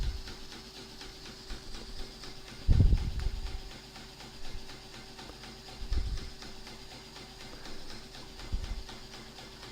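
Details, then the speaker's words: Fischertechnik pneumatic hand model: faint steady hum of the small compressor running normally under handling bumps while pressure builds before pneumatic response. "Next thing to test is the compressor. Yes. And you may hear the sound now. And I'll have to wait a little bit till the pressure is built up."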